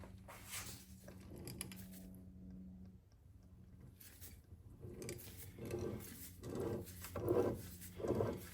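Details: Triumph Spitfire overdrive transmission on the bench, output shaft turned by hand in second gear: soft even swishing about once a second, no grinding or clicking; second gear sounds healthy.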